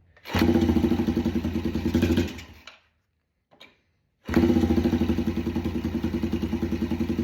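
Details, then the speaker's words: Yamaha TTR 90 after top-end rebuild, airbox off, idle raised: sputters awake, stalls briefly, then settles into an uneven lumpy idle. It liked more fuel from the air-fuel screw, but smokes heavily from the exhaust. "Well, she's smoking, so That's not great out of the exhaust as you can see."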